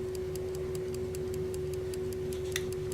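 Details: Electrically wound German Telenorma mantle clock movement, possibly 1970s–80s, U2 battery, just before the coil re-energizes to rewind: crisp, evenly spaced ticks about five per second over a faint hum; movement running normally.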